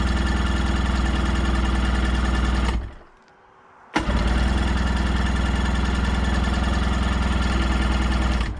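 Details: 1990 (possibly 1991) Sea-Doo GT with 587cc Rotax engine, bought as a non-runner, cranked on choke: steady fast chugging about four beats a second, a pause, then more cranking; it never catches. Cause not yet found.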